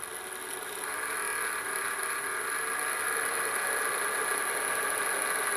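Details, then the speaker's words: Vantec HX4R NexStar enclosure fan about a year old: a steady, loud whir with a high whine and faint buzz; the noise stopped after the fan screws were loosened to just snug, likely housing stress on the fan frame. "I'm gonna do is turn this on and you can hear things seems to really be quite noisy"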